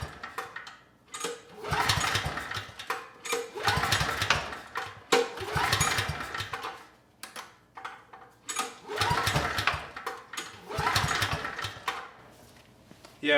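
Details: Briggs & Stratton Storm Responder generator, low oil topped up, fuel valve on, has compression: several recoil pulls, each a brief spinning rush that dies without catching; spark present, cause later found to be gummed carb and water in fuel.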